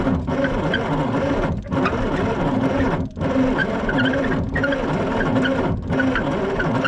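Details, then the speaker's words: Three-cylinder diesel tow-behind roller compactor that sat for years, fed ether, injector one dropping out; steady cranking with brief pauses, one hard ping, no muffler smoke; cranks but won't start from fuel starvation. "it made one hard ping off that ether it is just not getting enough fuel no smoke coming out of that muffler while it's cranking like that means we're just not getting enough fuel into the cylinders"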